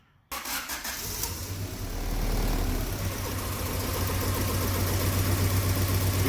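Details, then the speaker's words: Honda Civic with a swapped-in H22 engine, chasing a misfire: after cranking it settles into an uneven, lumpy idle with a stumbling beat. Cylinder number one had earlier never fired. "can tell right here it's wobbling like a [ __ ] man and you know they're not good"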